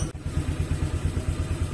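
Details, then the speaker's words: Honda Vario scooter that stalled on sudden acceleration, running with the dirty air filter paper removed: a smooth, even idle with no hunting, and the engine no longer dies when the throttle is snapped open. "ya jadi suaranya masih halus enggak ngos-ngosan kalau kalau enggak pakai filter"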